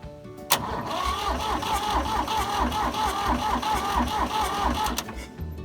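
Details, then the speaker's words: Diesel tractor that ran out of fuel, cranking after bleeding air from injectors; steady rhythmic starter cranking with even compression pulses, never catches because air remains in fuel system; bleeding repeated. "now that we have the air bled out of the injector we're going to go ahead and crank it again to build the pressure"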